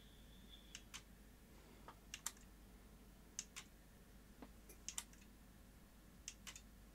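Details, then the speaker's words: Sony SL-HF600 Betamax (711B2 deck) powering up on 110 V: display lights on but sharp irregular clicks and clunks, often paired, instead of one clean solenoid clunk; suspected overdriving the unlace, possibly faulty replacement regulator. "so it's all powering up the just when I switch it on all the right display lights are coming on the front but that clunk doesn't sound right at all uh it was overdriving the unlace I think"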